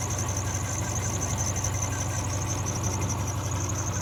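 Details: 2003 Subaru Forester petrol engine idling while parked, with a faint, high, rapidly repeating chirp or squeak. Tightening the belts did not fix it.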